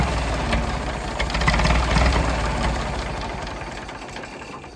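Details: Late-1960s/early-1970s Massey Ferguson 2200 forklift, Perkins 3-cylinder gas engine, after about 23 years abandoned: steady pulsing around 220 beats a minute, stays fast before fading, choke partly closed; runs fine but won't idle down, cause unknown. High idle.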